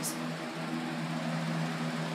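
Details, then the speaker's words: Small fan motor running: steady hum under a rough grainy rumble; worn motor bearings suspected, unconfirmed. "I I don't really care about noise wow that thing is making a lot of bearing"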